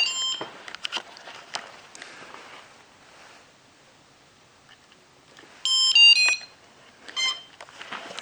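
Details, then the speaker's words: Pixhack 2.8.4 quadcopter with linear ESCs, 360 kV motors and 14-inch props that won't take off: bursts of high thin electronic beeps with gaps, repeating; meaning of the beep code unknown. "noise is so annoying"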